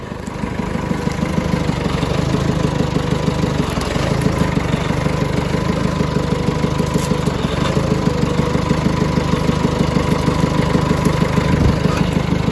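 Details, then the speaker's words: John Deere 555 bulldozer, 20+ years old, just started: steady, even diesel chug at low idle, no misses or knocks; running healthy. "look at this guys this is awesome we got it started it's sick"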